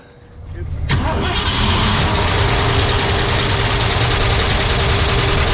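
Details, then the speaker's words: 1965 Ford Ranchero, sat a while with dead battery, before repair: cranks, catches, settles into fast idle with faint regular light ticking; valvetrain tick of several months, worn cam lobe suspected. Engine tick. "over the last, several months, he's noticed it's had a tick in the engine somewhere about here, and it kind of has sidelined the car, so hasn't driven it in a while."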